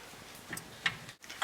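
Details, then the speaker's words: BMW E46 3 Series front suspension, hub shaken side to side by hand: three sharp knocks within a second and a half from play in the worn inner tie rod ball joint. "so you can see that this one has play and you can hear the noise of the inner tie rod that has gone bad"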